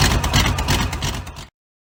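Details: V8-swapped 1972 Mazda B1600 after transmission reinstall with new flex plate, everything torqued (old one thought loose): brief burst of even V8 burble with no knock or bottom-end clatter before it cuts off; normal.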